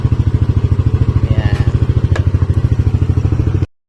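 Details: Yamaha NMAX version 2 scooter brought in for a noisy engine, repaired without opening the engine: steady even idle putter at about 200 beats a minute, no rattle or clatter; idling smoothly and quietly.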